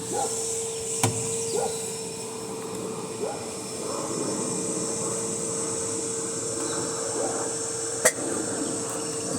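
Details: Electrolux LTC 10 washer with refurbished transmission, lid open and run direct: steady mid-pitched whine with fainter high tone through spin; liquid on the seal showed the noise is not at the seal, seemingly inside the gearbox, exact source undetermined.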